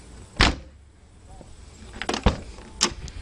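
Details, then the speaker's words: 1992 Chevrolet Corvette C4 driver door before weatherstrip replacement: several door shuts, each a sharp, thin slam with a rattly, hollow edge instead of a solid thud. Hollow door closing sound. "right now if you listen to this when it closes it doesn't sound very good so I'm doing this video partly so that I can remember what it sounded like"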